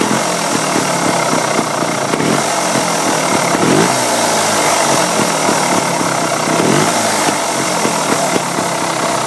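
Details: 2008 Beta Rev 3 two-stroke at idle: raspy idle with rolling, purring rumble and a couple of throttle blips; owner asks if the rumble is normal, cause unclear.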